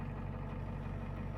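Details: 1989 Ford F250 7.3 IDI diesel, just started after sitting a week: deep, even low chug with a steady beat and no knocks or misses; healthy normal diesel idle.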